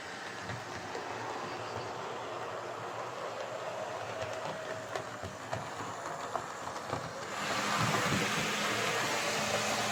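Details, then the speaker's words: Hornby R2329M Britannia Class "Dornoch Firth" model loco, first run on track before service: steady whirring motor with regular rail clicks, pace picking up as it loosens; sluggish slow running improves, owner thinks it just needs a good service. "foreign loosen up and it says slow running improved so I think this just needs a good service so we'll back it into the shed and get it off to the bench"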